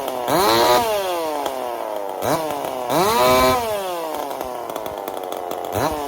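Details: Chainsaw fitted with a 372 carburetor, repaired ball-bearing detent and a copper-wire choke, test run after repair: fires and revs in clean bursts, pitch sweeping up and falling back evenly, no stumble or bog; running fine.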